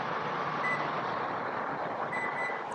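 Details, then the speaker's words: 2023-2026 Lexus UX power rear door kick sensor: faint electronic beep near two kilohertz as the foot is detected, then a double beep as the system cancels the kick because the foot stayed too close. "so the first beep is letting me know that the system has already seen my foot the two beeps are the system cancelling that kick command because it knows I'm too close"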